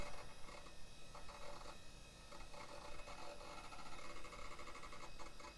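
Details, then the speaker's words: 1990s HP Vectra tower running ScanDisk, which finds system-file errors and cross-linked files. The hard drive makes repeated bursts of rapid ticking and scratchy seek chatter and is struggling. "continue skip undo is some delicious hard drive sounds though"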